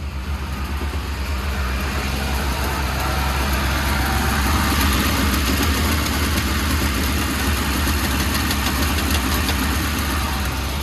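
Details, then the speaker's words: 1984 Volvo 240 running on LH 2.0 ignition module and ECU, fresh head gasket, no coolant: steady, even fast idle with no misses. It idled high because the idle air control hose was off the manifold; the engine also pings, with rough idle near 800 rpm, and timing needs adjusting. "I realized it was high idling because the idle air control hose wasn't plugged into the manifold."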